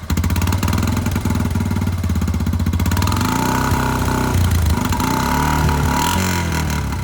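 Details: Honda Foreman 350 4x4 ATV single-cylinder after rebuilding and welding the rusty, rattling muffler: thumps along evenly, idle lifted a little then settles steady and smooth; exhaust quiet with no leaks or rattle. Normal idle.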